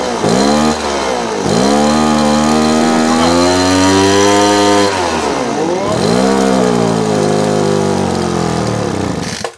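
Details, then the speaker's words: Small two-stroke engine carburetor tuning: revs briefly then sags and won't come up, bogging from mis-set mixture; screw then reset to 1 1/4 turns and adjusted. "You see how kind of now it's bogging down and won't even come up at all."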